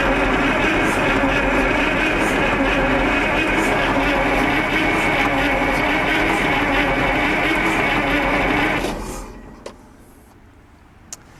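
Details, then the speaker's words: Onan 140 WE generator with an 884-cubic-inch V8 on its first test run, gasoline, fuel line being bled; steady whirring crank at roughly two and a half turns a second that never catches; weak battery; slow cranking. "not a lot man that battery sounds really weak I was hoping that battery have some more energy in it oh she almost fired"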